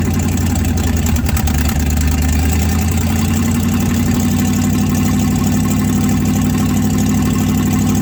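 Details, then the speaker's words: 1967 Chevrolet C50 truck, sat about nine years, running on choke, not warmed up: loud, raw, uneven idle with harsh exhaust note; exhaust leak from missing passenger-side manifold donut, mufflers rusted out, engine reluctant to idle. "it sure sounds rough the donut's missing on the passenger side that's why it's so loud"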